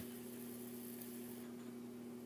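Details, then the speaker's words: 42" Hampton Bay Littleton ceiling fan at medium speed with globe fitted: steady low buzz with a second tone above it, from a loose little screw in the light kit vibrating; absent without the globe. "it's this little screw that's buzzing around so like it does and now a low speed yes the screw i like it is buzzing around real bad"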